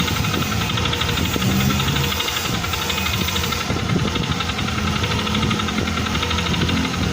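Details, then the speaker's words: Yamaha NMAX V2 scooter, low mileage, block already replaced elsewhere but still noisy, CVT cover removed: rough rattling knock from the CVT side because the drive face teeth are stripped, crankshaft still fine, idle unstable; CVT drive face knocking. "Ang ano ang masama yung dried face is tanggal yung mga ngipin. Buti itong segunyal okay pa yan. Yan yung ingay niya mga ka-ride."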